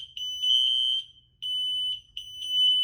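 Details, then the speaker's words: Interconnected red smoke alarm system (two wireless, one hardwired, wall controller) after the locate button is pressed, held and released: the other units go quiet after a few seconds, leaving only the triggered alarm sounding high shrill pulses about once a second. "Give it a couple of seconds, it takes some time for it to talk. Now that's the only one that's going. Locate, shut them up, and is now letting this one go."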